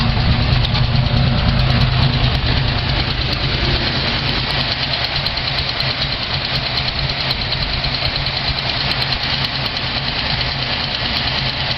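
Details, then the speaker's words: Car cold-started after battery installation, having sat 3 to 6 months under a car cover: steady even idle with a slightly busy low rumble settling after a couple of seconds while warming up; normal cold idle. "As you can hear, Project Esmeralda has been resurrected after approximately 3 months to 6 months just sitting with this car cover over her."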